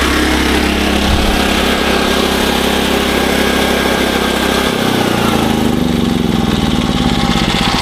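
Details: SDMO 5000W generator, Briggs & Stratton engine (about 18 hp, 296 cc), before repair: smooth even running with a slight pitch shift midway, no misfire, but output only about 4 V on 120 and 240; previous owner suspected a blown alternator.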